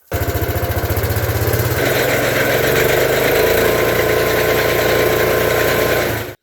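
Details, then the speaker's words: Case Ingersoll Snowcaster snow blower after auger bearing replacement, shaft with no play: steady, even engine drone with the auger spinning smoothly, no knocking, rattle or grinding; auger running normally. "you'll see that there's no up and down movement on that shaft we'll start it up you'll hear the difference"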